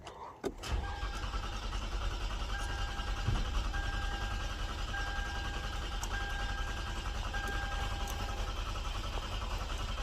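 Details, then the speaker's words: 2013 Lexus ES350, started with the brake pressed: a brief crank that catches quickly and settles into a steady, even idle with no misses. Normal engine start. "So that's a good one. So we now know that it can start."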